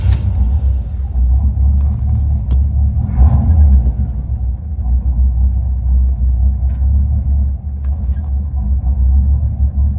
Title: Rough idle